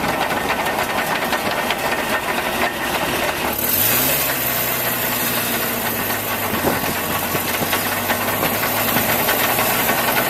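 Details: Truck engine running, camera mounted under the truck: a busy, rattly tapping over the hum, with a tone settling after a revving change; a knock of unknown cause.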